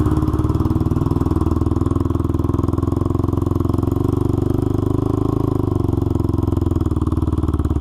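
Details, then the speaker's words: Honda 400EX single-cylinder ATV after crankshaft replacement for a locked-up engine, on a test ride; even thump with a sharp, raspy puff each firing pulse from a broken exhaust header leaking pretty badly; new header needed. "but like I said we do have to address this header issue at some point cuz it is leaking pretty bad you can hear it when you're driving it pretty bad so we will have to get that replaced at some point"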